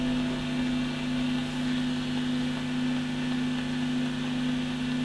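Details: Fender Super Reverb blackface amp: steady hum with faint regular vibrato tick about twice a second, no volume swell; speed works but intensity weak, photo cell suspected; footswitch working.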